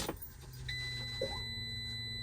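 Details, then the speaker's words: 2014 Ram ProMaster 2500 after fuel pump replacement, key on without cranking to purge the line: a click, then a steady high-pitched electric whine at an even tone with the engine off; normal fuel pump prime. "Just do this, and you hear the pump pumping, so you can purge it."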